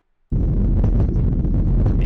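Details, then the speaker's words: Airbus A321, American Airlines flight 1665, takeoff from Las Vegas on 25 June: cabin audio of a heavy low roar with sharp thumping bangs from engine compressor stalls. "So, some pretty good video of the actual event has shown up on uh social media here on Facebook, and it's got some pretty good audio to give you an idea of what compressor stalls actually sound like"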